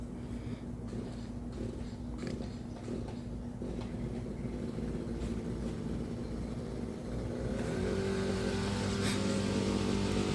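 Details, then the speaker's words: 2011 Toyota Camry 2AR-FE, first start after replacing lifters and rocker arms, throttle plate not yet calibrated; quick even cranking with no catch, little compression heard; owner suspects the lifters or a switch. "Literally, as you can hear, no compression."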